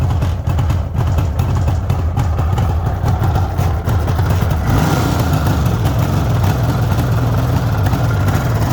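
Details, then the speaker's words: 1974 Suzuki GT750 two-stroke triple, restored about five years earlier, cold, choke just taken off on a warm day: steady idle burble holding speed without stalling while warming up; owner says it takes over normally once warmed; normal warm-up idle. "believe me it does take over normally once it's warmed up"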